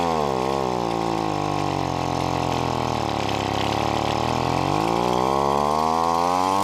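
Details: $5 yard-sale gas leaf blower two-stroke, after turning the carburetor adjustment screw clockwise in quarter turns: buzzy note sagging and rising, slightly choppy; mixture suspected still not right.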